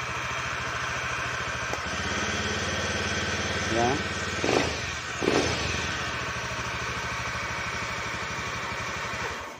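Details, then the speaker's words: Honda Beat eSP scooter with no-start and blink code 52 (CKP sensor circuit): after finding and rejoining the broken pulser wire, smooth even idle with brief throttle blips settling cleanly; blink code gone, running normally. "kita coba motornya Apakah bisa hidup oke ketiban sudah tidak ada lagi motor sudah hidup normal"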